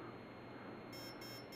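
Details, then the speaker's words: Align helicopter ESC in programming mode: three short even high beeps mark the third option, battery voltage cutoff, set here to mid voltage protection with mid stick. "okay so now it's going to go three beeps for the third mode which is the cutoff"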